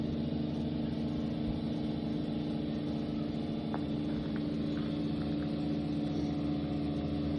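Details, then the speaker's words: Re-plumbed water pumps in a Citroen Dispatch van's rear cleaning system, sucking up water and pushing air out of the hose reels: steady motor drone with an even low hum and a few faint clicks; running smoothly, nothing abnormal. "There we are, we can hear them sucking up water. There they go. So they're pushing all the air out of these reels now."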